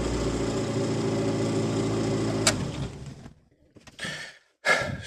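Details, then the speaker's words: Car with a new battery and new starter still cranks slowly and laboriously for about three seconds, like a flat battery, then cuts out; voltage drop suspected, to be fixed with a starter relay. "so yeah that is the issue we trying to solve new battery new starter still sounds like a flat B"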